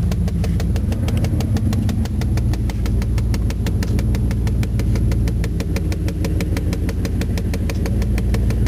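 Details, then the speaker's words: 1993 Chevrolet 305 V8 fuel-injected truck, started on about half a gallon of added fuel: even, steady idle with a light regular tick over a smooth low rumble; described as a little rough but runs good, normal idle. "[Music] definitely a little rough back in here runs good"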